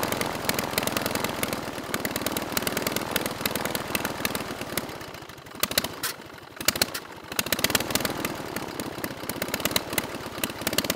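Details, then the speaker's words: Praga B2 aero engine, last ran 1939, rebuilt and run on a Vauxhall test rig with homemade propeller: loping, uneven beats that sag and slow mid-clip then pick up while idle mixture is adjusted, running slower and vibrating more. "Right at the end there, I was adjusting the idle mixture. That's why it was running much slower and probably vibrating a bit more."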